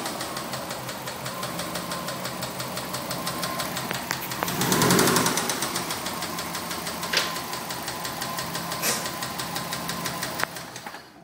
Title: 04 WRX rod knock